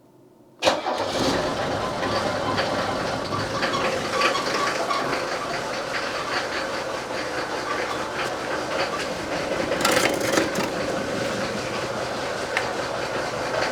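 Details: Mercedes-Benz S123 300TD turbodiesel with the radiator refitted: started with the cap off to burp air; fires almost instantly into an even, steady diesel clatter, no misses or knocks; normal start and idle.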